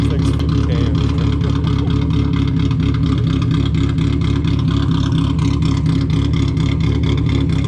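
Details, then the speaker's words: Cheap cammed 1.8L Mazda Miata, first start after sitting in a field. The engine is smoking. Lumpy, stumbling idle; the owner suspects it is running on only two cylinders (unconfirmed). "i think he's only running off on like two cylinders right now [Music] the idol is really weird"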